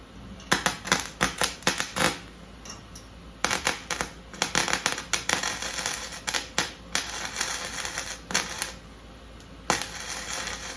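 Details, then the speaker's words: MIG welder on 1970 VW Beetle sheet metal: irregular bursts of crackling arc that stop and start instead of a steady buzz, wire feed stuttering regardless of wire, tip, ground or adjustment changes; cause not confirmed. "you can hear how it's feeding c c c c c c c c no matter what kind of adjustment I do"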